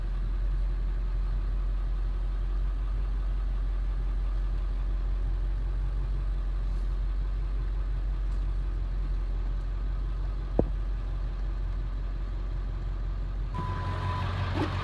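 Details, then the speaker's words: 1999 Ford F250 7.3 Powerstroke diesel, 117,000 miles: low, even diesel rumble holding a steady idle throughout, no knocks or misses; running normally. "so you guys heard it run sounds good it's the 7/3 way you expect"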